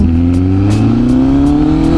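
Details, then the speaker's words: 2025 Honda CBR1000RR-R Fireblade SP with full exhaust, revs climbing with hesitant pull low down: throttle flat spot felt around 2500 rpm that began after a Brent Tune ECU flash. "And then when we went to Brent Tune flash it, that's where all the trouble started."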